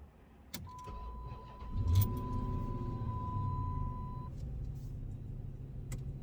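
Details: Dodge Magnum with a newly remanufactured 345ci Hemi V8, first startup heard from the interior with a chime tone: short crank, quick catch, then a deep, steady V8 idle rumble. Healthy.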